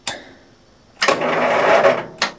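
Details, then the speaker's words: 1973 Bolens 1556 tractor, first start after storage, full choke, half throttle: one click, then about a second of fast starter cranking that dies away without catching; cranks but won't start, cause suspected, not confirmed. "oh man let me turn the choke off that'll help get it cranking over"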